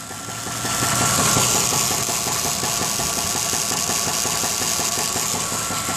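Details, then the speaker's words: Warm V8 truck idling, engine supposedly rebuilt with 10,000 km, knock began two months later: steady light knock about three beats a second over hissy note; owner suspects front-of-engine pulley or possibly bottom end. "I don't know if you can hear it now. You can hear it ticking away. It sounds like a pulley, like it's coming from the front of the engine. But I'm not sure. Could be bottom end."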